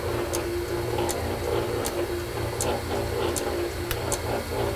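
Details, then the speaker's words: Metal shaper being oiled during setup, with the main crank pivot completely remachined after it was wiped out: a steady mechanical churn with light scattered ticks and gear whir, no knocking or grinding. The rack and pinion gearing runs pretty good. "that was an item I had to completely remachine and fit it was completely wiped out and uh you can hear the gear rack gearing and uh pinion in there and they're running pretty good"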